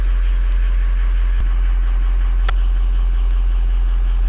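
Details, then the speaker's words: Ford Powerstroke diesel with ARP head studs, cold start, ICP about 0.16 (slightly low): deep steady idle with even rumble and clean injector clatter; normal healthy cold-start idle. "fired up good watch the on them injectors sound good too"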